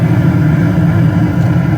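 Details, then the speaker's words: Bryant/Payne furnace with no heat (error code 24, blown fuse, stuck inducer), after fuse and inducer motor replacement and bleeding air: smooth, even low hum, no rattle, scrape or wobble; inducer and furnace running properly. "Up and going. Back to business. Okay, I'll let it run, observe how everything's going"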